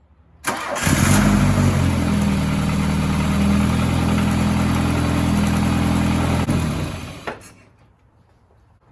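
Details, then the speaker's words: 1980 VW Rabbit Convertible, just after alternator replacement and belt tensioning to about 10 mm deflection: the engine cranks briefly, catches within a second and settles into a steady, even idle before shutdown, with no knocks; the alternator is now charging. "so yeah, we've got charging happening, so we will get the upper belt cover back installed and wrap this video up."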